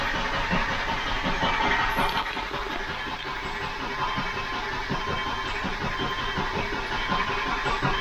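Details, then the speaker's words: 2005 Subaru Outback with known low compression on one cylinder, exhaust valves not yet checked, weak battery: steady starter churn with evenly spaced compression beats, no skipping; even crank. "but it sounds good and even nice even crank"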